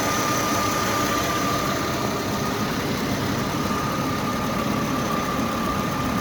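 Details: Mercedes W220 M112 E32 V6 at 372,900 km, after a knock from under the hood was fixed by replacing the alternator bearings and the water pump, which had play. Smooth, even idle with a faint steady belt hum and no knocking; knock gone.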